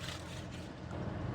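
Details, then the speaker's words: 2006 Chrysler 300C 5.7 Hemi V8 with a steady, even low idle rumble and no stumble after the stalling and rough idle were fixed by replacing the purge valve solenoid and cleaning its dirty connector. "As you can see as you can hear, she running good now."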